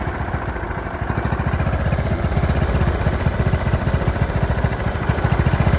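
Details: John Deere LT155 riding mower, a no-crank, no-start that ran about 5 seconds then shut off; started with choke: single-cylinder engine thumps at a steady, even beat with no stumbles or surges; runs healthy.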